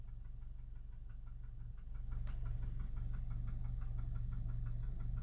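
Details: 2009 VW 1.4 TSI CAVD twincharged engine, cold start with new timing chain set and fresh 5W-40 oil: sharp regular ticking knock about three per second over low idle drone; source unconfirmed.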